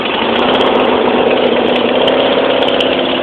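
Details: Briggs & Stratton opposed-twin tractor engine, cold start after sitting unused 5 days with choke out and throttle up: fires easily and holds a smooth, steady buzzing idle with no misses or knocks; healthy.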